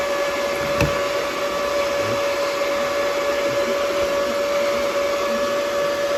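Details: DB Werx amplifier cooling fan run through an adjustable buck step-down converter at about 8.23 V output (shuts down at 8.21 V): smooth, constant mid-pitched whir, no ticking or scraping, healthy fan.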